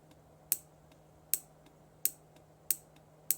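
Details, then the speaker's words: Arduino-style solenoid driver circuit on a breadboard, probed by hand, for an aquarium CO2 pneumatic valve: sharp, unevenly spaced single clicks about 0.7 s apart over a faint hum. The solenoid is not switching reliably. "okay that's weird it's not switching reliably"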